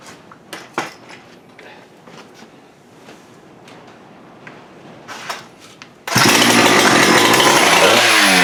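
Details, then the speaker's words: Husqvarna 394 chainsaw with HyWay 58 mm big-bore pop-up cylinder (395 build), cold day, after swapping to aftermarket carb: screams to clean steady full-throttle wail, no four-stroking, 12,100 rpm no load, up from 10,900. "Well, I think that proves that it was the carb. We got the 12.1. So that's a 2,000 RPM increase."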